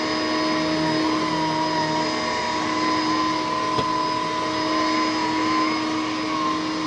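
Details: A used vacuum (possibly the Electrolux, dated about 2001) gives a steady, loud motor roar with a high whine at constant pitch and no clear fault. The owner is unsure whether the loudness is normal for these Electroluxes.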